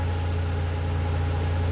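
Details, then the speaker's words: 2004-2006 BMW 116i E87, N45B16 1.6L race car, remapped ECU, special exhaust, warming up, oxygen sensor becoming active: deep smooth idle drone, engine speed changing, no rattles or misfires; normal warm-up idle. "but the car's gradually getting warmer and you can hear the car um engine speeds changing"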